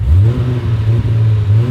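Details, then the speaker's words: Ford XE Falcon SOHC six with a turbo build, first start after 14 weeks of work, very touchy accelerator: deep, even rev swells rising and falling over a steady low rumble, no knocks or rattles; revs cleanly. "Dude, 14 weeks ago, this is a bog stock XE Now Falcon. listen to it. Tell me that doesn't sound good."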